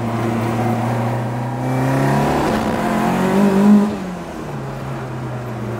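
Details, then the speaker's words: Ford Mk2 Escort on a road test after its exhaust was made much quieter: the engine pulls up through the revs, then backs off with only faint occasional pops. Overrun popping and banging is far reduced but still present, and induction noise is now audible. "the popping and banging on the overrun is way less as well it still does do it a bit"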